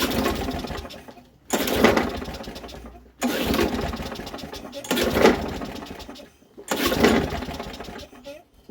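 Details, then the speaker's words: Used walk-behind lawn mower (Briggs & Stratton tagged) being checked for flipping; carb cleaner sprayed into carburetor first, then five pull-cord cranks with brief chugging that dies away, never catches; owner suspects fuel not reaching cylinder; no-start while cranking. "it's not starting it's kind of interesting so maybe it's not getting the cylinders"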